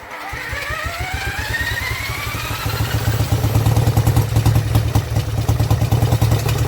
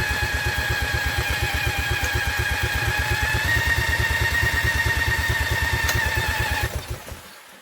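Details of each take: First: Vintage Douglas engine, first cold start after 40 years under a hedge, carb jets recleaned and mixture screw adjusted, no silencer: catches and settles into a steady, even beat around 2.5 firings a second, running cleanly on its own. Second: Vintage Douglas engine, cold start after 40 years under a hedge, spun with an electric drill, carb jets recleaned: it catches and chugs roughly for about six seconds, then dies; owner suspects flooding, and the engine stalls after starting.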